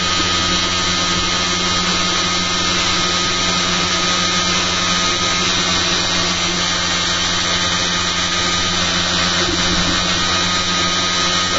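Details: Rotor spinning at about 5,360 RPM on 1.01 A input after fitting new eccentric bobbin and magnet holders: steady, even high-speed whirr with constant tone, no knocking or rattling; running normally.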